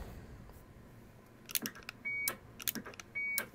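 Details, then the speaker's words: Vintage 7-tone CB roger beep board, rebuilt with replaced ceramic disc capacitors, tested on radio in single beep mode; two short crisp beeps near 2 kHz about a second apart between key-up clicks; working properly. "so as you can hear it is beeping accordingly so that's in single beep mode"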